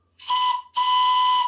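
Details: Original bell-type steam whistle removed from a large Showman's traction engine, run on compressed air: two clean toots on a steady high tone with hiss. It works properly.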